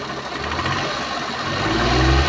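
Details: Suzuki Multicab (DA64V/DA64W/DA17V/DA17W series) small engine, after its hose was rearranged and no leaks were found, given light revs; the steady low rumble climbs gently and stays smooth and even with no knocks. Normal healthy revving.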